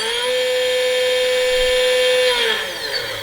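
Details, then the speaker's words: Stock generic 2217 1100 kV brushless motor from Skylark S PNP, no-load kV test without prop: high whine with gritty edge then spin-down; bearings sound worn and grindy, owner suspects this makes it run hot. "Can you hear those bearings? Do you hear what I'm talking about? That's what I'm talking about. They just sound bad. Yeah, it's all grindy, and that's my guess as to why this thing comes off."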